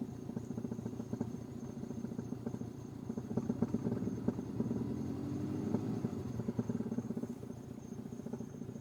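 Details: Subaru Legacy GT at idle to 1,200 rpm: soft, fairly regular thump a bit over twice a second under busy ticking idle; thumping at idle, cause unclear.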